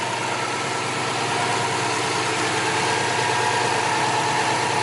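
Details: Subaru WRX bugeye wagon, just after replacing the failed OEM intercooler inlet with a Grimmspeed one: steady, even idle with a smooth pulse around three beats a second and no knocks or rattles. Normal idle.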